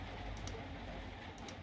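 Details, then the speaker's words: Milwaukee M18 5Ah battery on charger: sharp clicks in quick pairs about once a second, never starts charging; pack reads just over 9 V and dropping, over-discharged, no LED lights on it. "clicking away I don't like that it's clicking away does not want to charge it looks like it's charger but it's not I've had ones like that before and you hear that clicking sound it's not happening"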